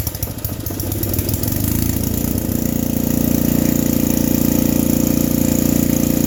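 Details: Vintage generator: catches after a rough start, then a steady, fast, high hum; owner feels it runs faster than it should, and the generator gives no output, possibly a ground issue; overspeed suspected, unconfirmed.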